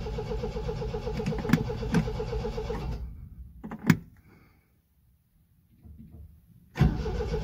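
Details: 1974 MGB GT on its first start attempt after 7–8 months sitting, with a little choke and the fuel pump already primed, petrol smell noted: two bursts of rhythmic cranking, about four turns a second, without the engine ever firing; cranks, no start.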